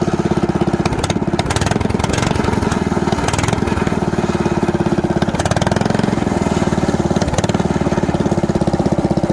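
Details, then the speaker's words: Predator 420cc single-cylinder swapped into a golf cart with a Ford 9-inch diff and Blast LED torque converter; first start on an open header with no exhaust yet. Loud, rapid, even bark holding steady speed; runs cleanly. "Got to fire it up. Open header. I didn't build the exhaust yet, but I'm just gonna see what this torque converter is doing."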